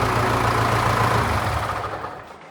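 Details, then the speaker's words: Auction diesel tractor after new clutch, exhaust pipe refitted, running again: steady even deep idle rumble, makes a bit of noise, no knock or miss before fading; runs fine. "Oh. So he makes a bit of noise. Makes a bit of noise."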